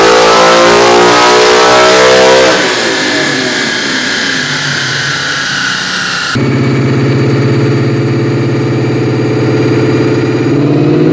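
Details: 2001 New Edge Mustang, originally V6 with manual transmission, now with a Coyote Aluminator crate V8 and Cobra Jet intake, on the dyno: V8 screams cleanly to about 8,000 rpm, drops back and rises again, no stumble or power loss; healthy pull.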